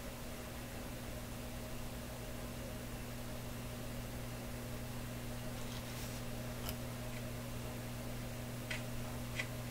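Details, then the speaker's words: Loewe Opta Type 5966 tube receiver: steady low mains hum with a deeper buzz underneath and no programme audio. It persists on radio and on FM with one tube fully removed, and is lower on record-player setting. Cause not found. "See, once again, I switched from the record player over to the radio. The hum came a little later. The hum is there with this tube completely out."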